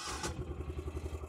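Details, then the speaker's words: Engine started after its battery was charged about three minutes via a DeWalt 20V battery jumper-cable adapter: brief cranking burst, then catches and settles into an even, steady idle at about five beats a second; normal start and idle. "all right we're good to go so yeah real Handy device to have"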